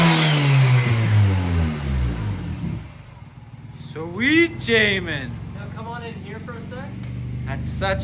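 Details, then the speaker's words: Honda Civic D16Y7 1.6 SOHC non-VTEC, 0.63 A/R turbo, 8 lb wastegate spring, 240cc injectors, stock ECU untuned, first start, idle about 750: engine winds down, then two blips with a rising whistle; the turbo spools cleanly, making boost. "that sounded pretty insane definitely pushing out some boost"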